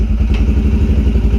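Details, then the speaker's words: Yamaha TTR125L single, semi-warm, after carburetor cleaning; air screw about 2¼ turns out and idle adjusted to match, running on old gas: low, even thumping idle with no misses or knocks; normal idle. "so I set the carburetor on this one at about two and a quarter turns out on the air screw and you know just adjusted the idle to match that and it seems to be running just about as good as it's going to run"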